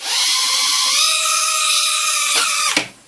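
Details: Cheerson CX-10C mini quadcopter drone motors spinning up right after pairing with the remote: steady, high whine with an even tone for over two seconds, then a sharp cutoff; the motors run smooth and healthy.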